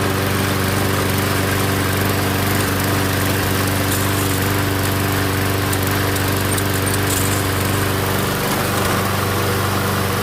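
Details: MTD Gold self-propelled mower with Briggs & Stratton Quantum engine, primed and started outdoors after pull-rope repair: steady, even single-cylinder drone, no misses, surging or knocks; runs normally, self-propel intermittent, owner suspects stripped front wheels.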